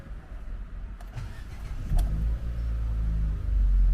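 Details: Ford that still would not start after a new battery, restarted after the starter was removed and refitted and the throttle body cleaned: brief crank, then it catches and settles into a steady low rumble with no grinding. Normal start after repair.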